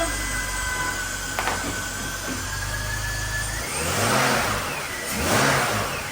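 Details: 1966 Mustang on swapped BMW chassis after swap: engine idles steady, then two clean throttle blips climb and fall smoothly back to idle with no stumble; no bad noises, no check engine lights; runs healthy.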